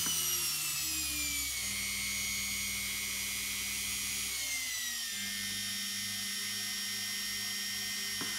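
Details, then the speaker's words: Washing machine brushed motor on a TDA1085C speed controller, wired for a grindstone. The high whine steps down in pitch twice, then holds one even tone as the controller keeps the set speed. Brush clicking is heard when rotating against the brush direction. "but once we speed it up that click away and it's pretty good once you set the speed it just holds it there"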